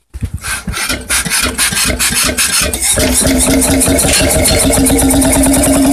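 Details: Freris-built Syros 1950-55 two-stroke 12 hp diesel, wick-started, restored 2014 and running after about 40 years idle: slow uneven puffs as it catches, then steady evenly spaced beat about four a second; runs healthy.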